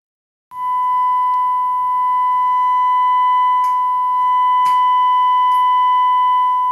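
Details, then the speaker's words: Gallien Krueger 400RB bass amp with test tone: clean steady tone broken by sharp random crackles and static as the boost control next to the master is turned; scratchy, dirty boost pot needing cleaning. "there is a boost control next to the master so let's see how that sounds there we go there's some static there"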